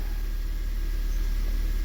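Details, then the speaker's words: 2007 Honda Fit 1.5 after valve adjustment, which fixed rough idle and stalling with no check engine light; fuel trims, previously negative teens totalling over 25, now look good: smooth, even low idle rumble with no misses, ticking or hunting. "but a little research goes a long way. And we got it uh going way better."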